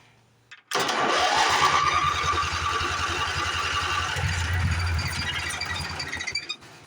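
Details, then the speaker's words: Late-80s Craftsman GT6000 with 18 hp Briggs, long stored outside: starter churns about five seconds and the engine tries but never catches; carburetor is likely out of gas and the weak fuel pump is suspected of not pulling fuel through. "Must be out of gas in the carburetor. Dang it. Let's bottle feed it and see what happens."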